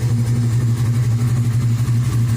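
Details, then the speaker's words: Chevy S10 truck with a freshly built LS 383 stroker V8, first runs after the build. Deep, even V8 burble with a slight rhythmic lope and no ticking or knocking; normal healthy idle. "i should let it run man so y'all can hear it when it warms up let me do that it just sounds so good"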